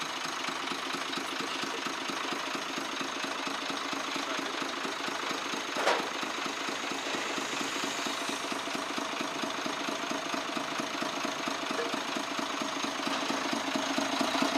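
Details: Truck six-cylinder 24-valve diesel at idle, pipe opened at the engine to check: fast, light, even chuck-chuck ticking over the clatter; mechanic suspects tappets or injectors; unconfirmed.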